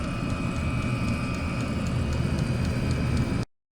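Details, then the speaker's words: Chinese diesel heater in garage with original fuel pump, before fitting an ultra quiet pump: steady fan roar with light regular tick about four times a second behind it; the fuel pump at the back ticking annoyingly. "you'll know if you've got one of these the um the annoying noise the ticking noise coming from the fuel pump in the back of the machine"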